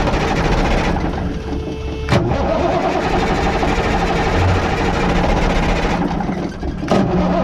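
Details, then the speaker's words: Cummins L10 diesel cranking after an injector pump install, with the return line loosened to bleed air from the fuel: a steady starter grind while the engine never catches, as fuel is still being pumped through. "Start it up. Not getting anything out of that yet, but still pumping the fuel through."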